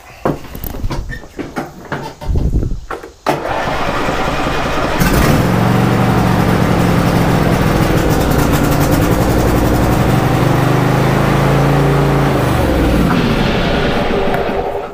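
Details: Craftsman or John Deere lawn tractor, first cold start of the day after adjusting the choke/throttle cable: a few hesitant cranks, then catches cleanly into steady even idle with no stumbling; normal cold start.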